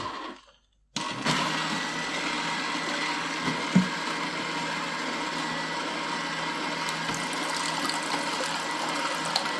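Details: Repaired Slush Puppie machine dispensing after over an hour with orange juice instead of syrup, not turning to slush. A quiet pause, then a steady, even motor whir with light sloshing and no grinding or knocking; healthy.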